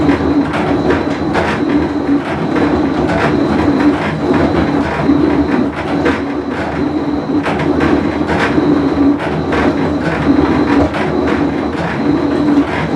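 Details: Whirlpool Cabrio washer with bad bearing, full wash cycle; loud sustained rumble with repeated clacking; tub bearing rumble.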